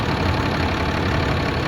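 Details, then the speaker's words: 2010 Dodge Ram 3500, about 100,000 miles, after tightening fitting to fix hissing under dash (power steering suspected): short steady idle, even low rumble, no hiss; normal idle. "Okay. The noise is gone. See that? The noise is gone."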